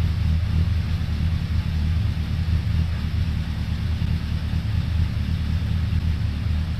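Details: 2002 Suzuki Bandit 1200S, stage-three jetting with pod filters, after fixing fuel overflow for a won't-stay-running complaint, not yet warmed up, mic moved further away: deep, even four-cylinder burble and steady low rumble, no misses or knocks; normal idle.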